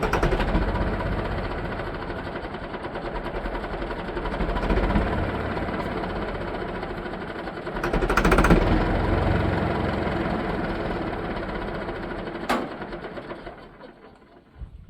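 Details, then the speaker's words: Leyland tractor diesel, long unserviced: steady chugging crank at about four strokes a second that never catches, then fades; no fuel at the injectors, crank no-start, battery later found dead. "yeah we got no fuel at the injectors right"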